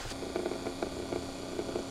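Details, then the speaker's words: 1998 Chevy Silverado 2500 with 454, key on, recirculation (fresh air) door actuator heard under the dash: faint steady whir with soft irregular clicking or grinding, running constantly without shutting off; stripped actuator gears. "okay there's the actuator it's really hard to be able to see up in there if you can hear that sounds like gears that are stripped out and as long as the key on it's just doing that constantly"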